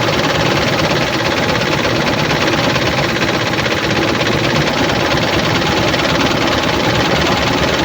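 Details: 2007 Dodge Ram 1500, 4.7 L petrol V8 (EVC, 238 PS), 290,000 km: loud, busy running with an uneven, lumpy beat instead of a smooth V8 note; cylinder 1 dead from no compression.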